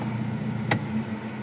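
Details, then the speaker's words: Toyota Revo 1RZ engine after injector number 4 misfire repair and idle readjusted (had reached 1,000 rpm): steady even idle with air conditioning on, one brief tap aside; idle-up working properly. "so yan na yung menor niya inayos na rin kanina yung menor nito kasi umabot ng 1,000 daw so inayos na rin namin aircon okay"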